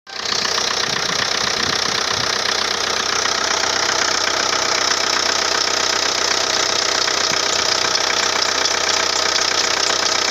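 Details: Steady, shrill high-pitched squeal riding evenly over the running engine without letting up; a slipping, whistling drive belt.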